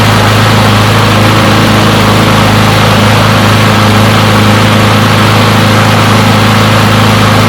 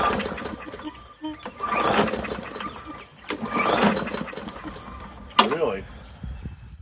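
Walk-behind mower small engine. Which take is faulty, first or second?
second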